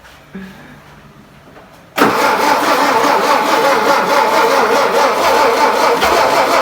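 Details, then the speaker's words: 1959 VW Beetle sitting about 45 years, first start attempt: loud, steady churning crank with faint uneven catches that never pick up into a run; it needs more fuel. "Yep. Need more fuel. That's a good sign."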